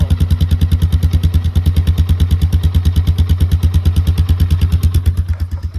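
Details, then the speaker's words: Polaris Sportsman 400 ATV after crash repairs, started with no choke on the first pull: the single thumps steadily at about three beats a second, even and strong; normal idle. "She started right up. actually that was chokeless, too."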